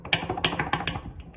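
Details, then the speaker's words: Cosworth-powered Mk1 Escort gearbox, removed after a hard launch at Santa Pod that seemed to break the clutch: uneven sharp clicks and crunches, about three a second, as the shaft is turned by hand; the clutch is fine, the gearbox is damaged inside. "should it be making that noise can only mean one thing straight cut gears here we come"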